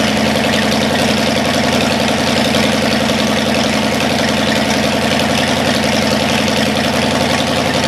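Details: Cadillac 390 V8 started after 8 years sitting, still cold and untuned: smooth, even burble at a fast-ish steady idle, no misses or knocks. Water pump leaking, accelerator pump boot chewed. Slightly high cold idle.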